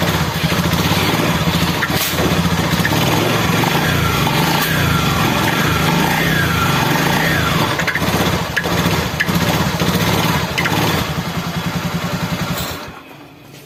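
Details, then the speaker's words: Scooter at idle: uneven knock about three or four times a second with a metallic jingle, then cuts off; knocking and jingling noise, something loose in the drive suspected. "jadi suaranya seperti itu ya Ada suara aneh bunyi deakdagdak kemudian suara kemerincing"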